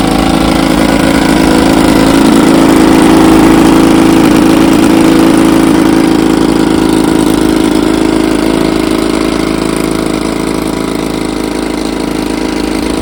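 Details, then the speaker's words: 1954 Evinrude 7.5 HP two-stroke outboard (restore #129) in a barrel test after its frozen power head was replaced: a crisp, even buzz at steady speed with no misfires or stumbles, running cleanly like a champ. "yes sir She's a Beauty runs like a champ got her out here on to B Lake Bar tester"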